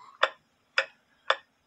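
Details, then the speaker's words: Drop dial case clock with double fusee movement on wooden plate, after shortening suspension wire, heard through an amplifier: crisp even ticks about half a second apart, no stumbles, normal clock tick. "with the B amplifier hooked up you should be able to hear it it sounds pretty good"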